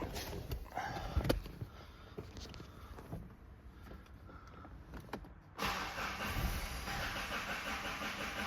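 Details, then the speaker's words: Mazda 3 with P258B code and no brake assist, after fitting a new vacuum pump: clicks, then engine fires at about five and a half seconds and holds a steady even idle; triangle warning light goes off. "okay so now it's running we can see the light the triangle light has gone off"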